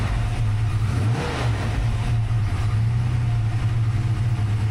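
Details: Freshly rebuilt 363 V8 in notch, new Diamond pistons, Holley smart coil ignition, crank trigger, Terminator X EFI, first run, stationary: deep even burble, steady beat, no knocks or misfires, no leaks.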